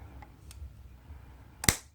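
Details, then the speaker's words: 1980s Honda ATC200 three-wheeler, long parked: bridging the starter solenoid heavy cables gives a single sharp spark crack, then no cranking; heavy current flow, starter motor suspected seized. "Ooh, sparks. Right. Looks to me like he's not going to crank over. There's a lot of current flow there."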